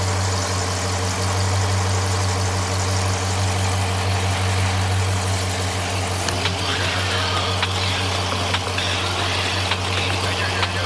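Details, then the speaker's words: V8 idling after running a while during an engine flush and oil service: steady low drone with an uneven, slightly lumpy beat and faint irregular ticks; sounds rough, cause not identified. "We can shut this thing off. Sounds like crap. I ain't going to lie."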